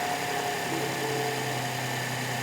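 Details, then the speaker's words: 2011 Rolls-Royce Ghost 6.6L turbo, after crank-no-start diagnosis testing Hall effect sensors: smooth, even idle with steady hum, no knocks, misses or ticking; engine fixed and running normally. "Oh, that starter was a little trigger happy there, but that's awesome. This thing is running."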